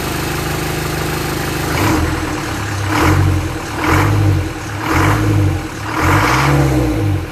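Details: Land Rover Series 3 2¼ diesel, first start after engine rebuild, hard to start: idles a bit unevenly, then sharp, very free rev blips; owner thinks injection pump timing is a little advanced and plans to adjust it.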